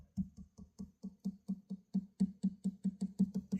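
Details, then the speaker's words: Guitar headstock during a tuner install after removing a small brass screw; about fifteen light taps, roughly four per second, each dull and hollow, so the tuner seems not firmly seated; owner plans to wick in thin super glue, cause unconfirmed. "When I tap on this, kind of sounds a little hollow, like it's not hooked down."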